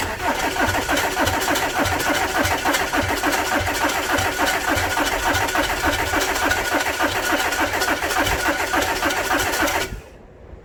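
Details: 2010 Audi A4 2.0 TDI after high-pressure pump replacement and fuel-system priming: even, rapid cranking at about 3.5 strokes a second for ten seconds with no clear catch; the diesel is not firing yet.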